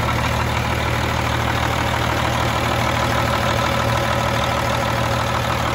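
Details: Freightliner FLD120 with Cummins M11 diesel after new fuel water separator cured air in the fuel lines; steady even idle with regular low beat, no stumble or hunting; normal idle.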